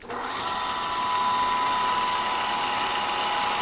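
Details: Older Rockwell drill press being restored, on its first start after wiring in a used motor with a repainted pulley: it spins up to a steady high whine with a faint thin squeal on top. The odd start-up noise's cause is unclear, and it went away.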